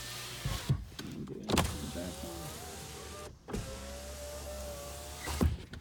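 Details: 2010 Ford Focus 2.0, 138,154 miles, front-end collision, no-start car powered by a jump box: window test gives short bursts of smooth, even electric motor hum going up and down, no grinding or clicking; power window works normally.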